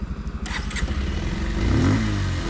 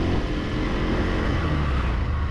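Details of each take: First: 2026 Bajaj Pulsar 150 Twin Disc, new bike, E20-capable single-cylinder: pulls away in first gear with a rising engine note and faint humming first-gear noise, also heard on the standard variant; cause unclear. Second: 2026 Bajaj Pulsar 150 Twin Disk, new bike, in second gear; smooth, even, refined engine note pulling steadily with no gear whine or rattle; first gear noted as making a sound, second gear quiet and healthy.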